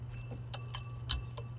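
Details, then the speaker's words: 1986 Toyota Camry A/C compressor clutch pulley spun by hand. The supposedly remanufactured compressor gives light, irregular clinks and ticks, while the 40-year-old original is nearly silent: noisy pulley bearing. "Why does it sound like that? It shouldn't sound like that."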